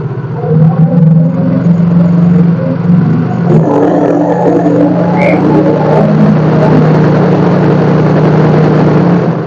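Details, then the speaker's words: Yamaha Mio J scooter after battery recharge, charging test: engine revs up smoothly, holding an even steady drone with no misses; charging voltage rises to about 14.36–14.38 V; normal. "tambah gas angkanya naik terus Anda pengisian mentok di 14,36"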